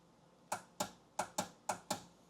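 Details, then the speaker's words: Kawasaki 1100 STX jet ski, battery about 12.4 V, spark plugs out: six sharp single clicks in about two seconds from the solenoid box with no cranking; solenoid clicks but starter never turns, starter later replaced. "Okay. So, we're getting a clicking sound. It sounds to me like it's coming from this box here. You listen. Yeah, it sounds like it's coming right there from the selenoid."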